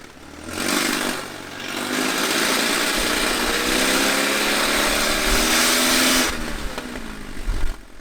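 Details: Cheap supercharged Mercedes-Benz C-Class W203 manual, after a sensor was removed: louder, smoother steady idle, revving higher than before and falling back cleanly. Suspected restricted exhaust; crankcase pressure still high. Cause suspected, not confirmed.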